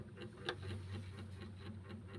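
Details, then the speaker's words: Two-door Sharp fridge, dead for about a year: defrost timer vibrating in standby, faint quick even ticking over a low hum, expected to run about an hour; heater not open, so normal defrost timer ticking, timer judged good. "nah ini bergetar itu artinya Dia sedang standby namun dia bekerja berkisar satu jam mungkin"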